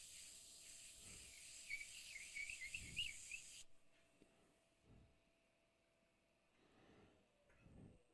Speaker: your ear will tell you when you've when you sanded enough you can hear the grinding